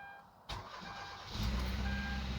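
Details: 2013 Kia Rio in cold weather (about 20-something degrees outside), after fixing a crank-no-start caused by the ECM blocking fuel-pump power (broken pins suspected) and priming the pump: a brief crank catches quickly into a steady, even idle, a normal start.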